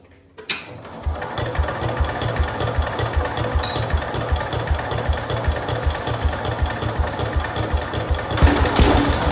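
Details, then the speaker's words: Late-1960s to early-1970s IH Cub Cadet 126 single-cylinder, long-stored, first catch on starting fluid: fast, rough pounding running flat out at full throttle until pulled back; engine racing at full throttle. "So close. Whoa. Holy crap. Turn that down from full throttle. What just happened?"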